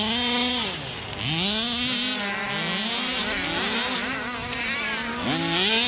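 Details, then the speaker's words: Rovan Baja 5B 1/5-scale RC two-stroke, revived after neglect: sharp, buzzy wail rising and falling cleanly with throttle blips, perfect idle, no misfire or stumble; running normally. "Sounds good. The idle, perfect. I'm not gonna touch it. It is running perfect."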